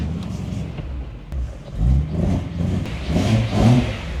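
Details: BMW E92 that had sat a while, now running: revs rise and fall smoothly, no rhythmic knock, background music. Normal running.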